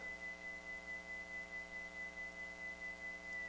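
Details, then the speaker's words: NAD 6155 cassette deck playing a high test tone that wavers in pitch about 1.5 times a second, a steady warble from its original low-quality drive belt, later found warped and kinked; wow and flutter from a worn drive belt, awaiting a new belt. "it doesn't look bad but it's just a real low quality belt and i actually ordered some belts here a few weeks ago and they should be coming any day now so probably what i'll do is i'll put this machine aside and when those belts get in i'll replace it and here it whistles and it uh warbles"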